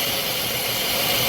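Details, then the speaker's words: 3.6 L engine idling high with code P0507: loud steady high-pitched hiss over fast idle that changes when hoses are moved; vacuum leak from a split PCV valve hose. "When I move these hoses, the noise change right there. Uh-oh. That's it. All right, ladies and gentlemen. That is why this 3.6 6 L is idling higher than normal. I have a vacuum leak right there at the PCV valve hose."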